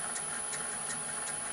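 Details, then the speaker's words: Revamped mini lathe with an inverter-driven motor, run at slow speed: a soft rhythmic swish about three times a second over steady motor hiss. The drive belt is running crooked on its pulleys. "I haven't got the belt on straight. Okay, but that's not to worry."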